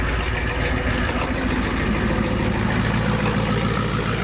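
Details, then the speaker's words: 1990 Ford F Super Duty, naturally aspirated 7.3 IDI diesel, ZF5 manual, just after injector replacement: even steady idle clatter, no shake or misfire, far smoother than the previous cab-shaking idle; RPM gauge not working; normal diesel idle. "I can already tell you it's running way smoother remember before I mean it was rotten your fillings out of your teeth inside the cab and now it's really smooth actually"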